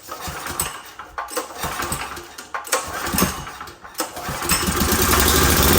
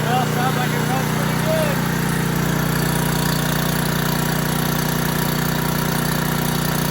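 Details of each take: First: Old 5500 W gas generator, running after carburetor work, with a little diesel in the gasoline and the tank nearly empty; it catches, then runs choppy and uneven, and the owner expects it to smooth out after refueling. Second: Old 5500 W gas generator, full of oil, started after repair: steady even engine hum with no misses, surging or knocking; running smoothly and healthy.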